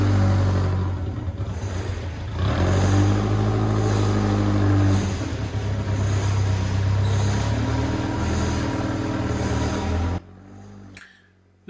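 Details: 1990 Birkin S3 Lotus 7 clone, first drive after five years off the road, with the stuck clutch just freed: deep, steady engine drone rising and falling smoothly with throttle as it pulls away in the yard; runs clean.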